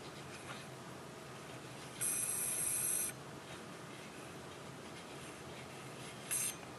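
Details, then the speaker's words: Western Digital 500GB external hard drive with clicking fault, opened: constant raspy scraping with two high screeches as heads fly over damaged platter area; heads damaged beyond repair. "so you can hear these heads have ridden or um well the the flew over this uh damaged part and you can hear that's the grinding noise this means the heads are damaged Beyond repair"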